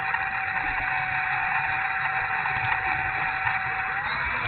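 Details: E-flite A-10 Thunderbolt II RC jet, twin 64mm electric ducted fans: high, harsh whine with a rough buzzy undertone and unsteady pitch; motor sounds bad and unhealthy, cause unknown.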